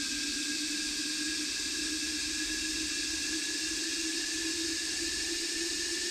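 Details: Kawasaki KRX1000 stock fuel rail flow test versus center dump rail, injectors spraying into measuring bottles: steady pump whine with constant spray hiss, no surging or stutter; both cylinders flow evenly, about 175 ml each.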